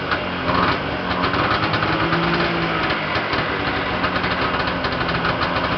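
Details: Yamaha Enticer 340 two-stroke, first start after rebuild with Wiseco pistons and bearings, hot rods, custom forged balanced crank, Uni filter: high, busy idle with steady crackly rattle, small throttle blips, heavy smoke, no knocks; running properly.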